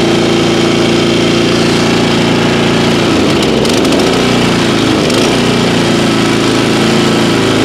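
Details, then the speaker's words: Kawasaki-engined lawn care machine, stored 5 months on ethanol-free fuel without stabilizer, about 30°F, after choke warm-up: steady, even low idle with no sputtering or hunting once past a brief stumble at start, slight smoke; normal idle. "there's low idle sounds like it's running good not spluttering or anything"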